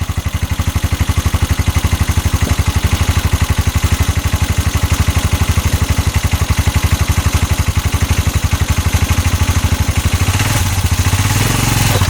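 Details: 2022 Massimo T-Boss 750 EFI UTV, heard from the back driving forward: heavy regular knocking about four per second, loud and rough under load; CV axles and U-joint tight, cause unknown.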